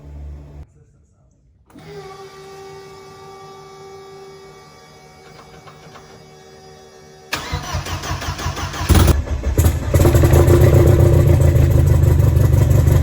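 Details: B5A4 engine on newly installed standalone ECU, untuned, after setting reversed firing order to work around suspected mis-pinned harness or ECU output definitions; starter cranks, engine catches and revs up and down, rough but steady, now starts and runs.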